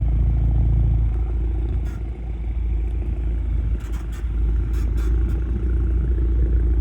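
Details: BMW F36 with B46 engine driving over bumps: short sharp knocks and rattles over heavy road rumble, a suspected suspension knock.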